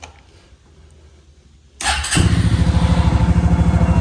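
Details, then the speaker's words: Suzuki LT-Z 250 quad: quiet, then catches at once and settles into a steady, even single-cylinder idle with regular firing pulses; fires right up, runs perfect, normal start and idle. "And I mean, the thing runs perfect. It fires right up."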